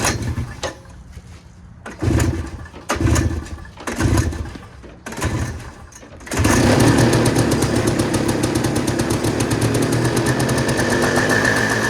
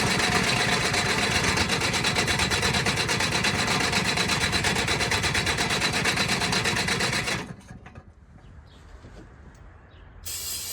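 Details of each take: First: Two-stroke woken with ether after sitting, choke position uncertain: several coughing crank bursts, then it catches into a buzzy run that wavers a little; it ran okay but not good. Rough running. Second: Off-road machine with a fuel pump, usually hard to start after sitting about a month, fired with ether and a jump pack: fast, steady buzz for about seven seconds before shutting off. Runs pretty good; normal running.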